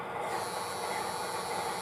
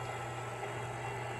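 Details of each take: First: MTH Propane Turbine (20-2261-1, Proto 2.0, 2001) locomotive on track, smoke unit fan motor after a drop of oil; thin high whir with faint squeal over hiss, still noisy but slightly quieter, dropping a decibel or two as it runs; owner suspects the motor is dying. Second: MTH Propane Turbine (20-2261-1, Proto 2.0, 2001) locomotive on track with smoke units on, after replacing the noisy rear smoke fan motor; faint even whir over steady low hum, no rattle or buzz, quiet compared with before.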